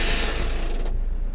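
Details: 2011 Mazda 6, nearly 200,000 miles, towed in not moving, speedometer still in gear: rapid rattling ratchet under a second then dies down; park pawl skipping over gear notches while investigating drivetrain failure.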